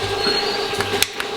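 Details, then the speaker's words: Engine from an outside builder on the dyno during cam break-in, hydraulic cam that should have no lash, running very lean with vibration: sharp metallic ticks about every third of a second from the right valve cover while cranking, a rocker arm sitting off the valve tip. "its running very lean and I got a vibration and I got noises on the valve cover on the right side"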